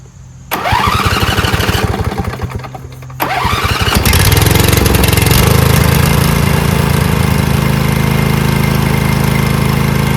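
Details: Newly rebuilt Craftsman DLT2000 mower after carb bowl gas leak caused fire, carb solenoid replaced with old one: cranks twice, catches, settles to even steady beat with no misses or hunting, no leaks; normal running.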